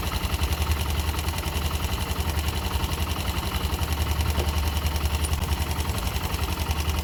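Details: YB motorcycle at steady idle with a light, regular tapping of about three and a half beats a second riding on the engine beat; abnormal engine noise, cause unclear.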